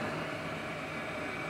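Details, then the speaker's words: Diesel heater on 100% biodiesel, about 3 minutes in, glow plug off: steady, even whoosh of burner and fan with no sputter or surging. It is burning cleanly and self-sustaining. "the glow plugs off so the unit is uh sustaining itself and it is firing up initially and it's sustaining itself on 100% biodiesel"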